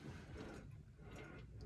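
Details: 2022 Ford F-150, about 13,700 miles, front-end squeak complaint: after greasing the upper ball joints, wheel rocked gives dull low knocks and light clicking with no squeak.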